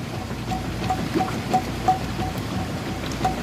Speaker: Okay, moved into the wash cycle. You can see it's doing a really good job agitating.